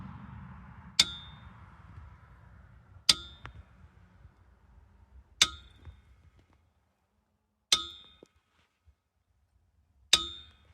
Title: Why is this jack making this noise ?